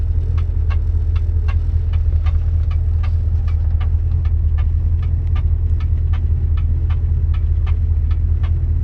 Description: Even though I'm pulling and replacing it, I'm still curious what that ticking sound is and when the hell it's shifting...it only seems to have two gears working but seems to either do 1-2 or 2-3....strange.